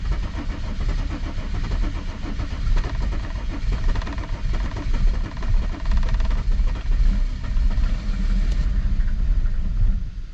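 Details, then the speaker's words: W210 Mercedes E300 turbo diesel towed in with a crank-no-start, battery weak at 11.8 V, cranked after the glow plug light went out: ten seconds of cranking, no firing. Raw diesel smell, no trouble codes; fuel pressure suspected, glow plugs possible. "smell a lot of raw diesel I think we have a fuel pressure problem"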